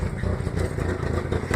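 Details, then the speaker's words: 1996 Ford Ranger 2.3, low power; after first start, on and off throttle, rough uneven exhaust beat with stumbles and spits, known wiring issues, bad sensor suspected: engine misfire. "sometimes whenever you first crank it up and you give it gas and you let off the gas it'll spits but it'll start missing really bad"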